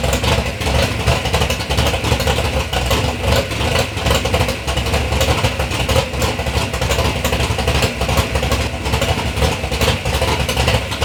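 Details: 3rd-gen Camaro big-block Chevy V8, first start after years of building: deep, lumpy rumble with repeated throttle blips rising and falling cleanly; normal running and revving, sounds healthy.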